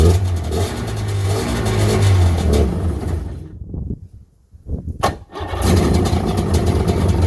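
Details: 1996 Sea-Doo GTI with freshly rebuilt two-stroke engine, first fire-up out of the water: runs slow and lumpy, nearly dies midway, then picks back up; idle measured around 1400–1450 rpm, about half the roughly 3000 rpm needed out of water.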